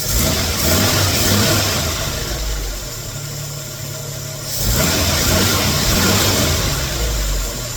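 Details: 1981 Jeep CJ7 with the 258 engine, after the squeaking power steering belt was tightened with a 1/2" breaker bar and the pivot bolt snugged. The engine idles and revs twice with no squeal or chirp, so the belt now grips normally.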